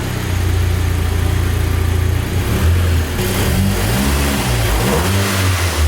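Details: Cheap Audi S3 after an engine swap, first start-up: catches quickly into an even idle, clean throttle blips rising and falling smoothly; runs healthy.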